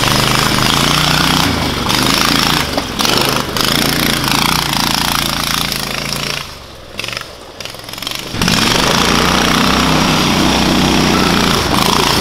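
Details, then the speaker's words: Predator 670cc single on Yerfdog Spiderbox kart, stiffer governor spring now holding about 3600 rpm (was ~2000); loud steady note with brief dip, even running; normal at governed speed. "the governor doesn't I mean the governor still kicks in but it holds it around like probably 3600 RPMs like a normal Predator should"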